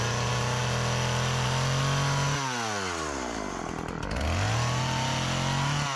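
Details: Old Partner 405 two-stroke chainsaw, repaired of stalling on throttle, sharpened chain, just refuelled after running out of gasoline, cutting very hard almond wood. Pitch drops as it bogs in the cut, then climbs back to full revs. It cuts well; the almond is hard going.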